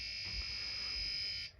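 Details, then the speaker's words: Early Bally solid-state pinball sound board: logic probe on U1, pin 11; a steady high buzzing tone for about a second and a half, then it cuts off; the probe sees pulsing, so the chip looks good. "so there's U1 there's pin 11 oh that's making some decent"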